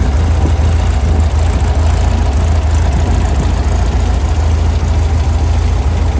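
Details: Brand-new Powerhaus VW 2110cc air-cooled turnkey engine for a 1966 21-window bus, upgraded head, dual 44 carbs, on dyno after valve adjustment and warm-up; deep even flat-four rumble, no ticking or misses, quiet valvetrain; normal running.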